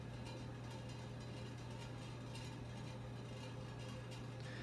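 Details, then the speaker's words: 1984 RITZ 42-inch ceiling fan settling down after running on high; steady low hum with faint rough, uneven rustle from worn-out motor bearings; worn fan motor bearings. "Bearings are worn out in it too. That's the noise you're hearing right now."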